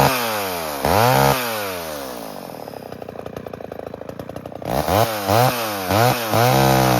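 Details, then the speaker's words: 1978 Homelite XL12 chainsaw, run after years of sitting, cutting firewood: revs cleanly, pulls down steadily in the cut and climbs back crisply between blips; a healthy two-stroke under load. "So, we're going to fire up the saw here and we're going to make it cut. See how it does."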